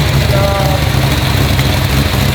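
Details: GT40 abandoned for 21 years, just fitted with ITBs and a new transmission, running still cold: a deep, steady, loud V8 rumble holding even with no stumble or miss; normal idle.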